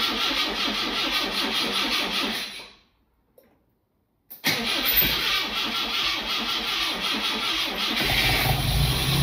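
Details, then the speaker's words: Lotus Elite after an ignition fault repair with new spark plugs fitted and adjustments made to stop sooting: engine revs and idles cleanly, smoother and more responsive, without the earlier hesitation; runs properly. "It's running a lot smoother. It's more responsive it's less prone to a little hesitation that it had before so I'm pleased with the effect that that's had."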